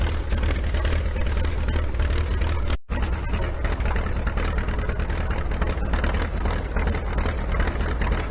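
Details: IH TD-6 dozer diesel after its injection pump was swapped for the Oregon pump, in snowy cold weather. Deep, even diesel clatter at idle with a slightly rough edge from idling too long, but no knock or miss. Sounds much better after the pump change; healthy idle.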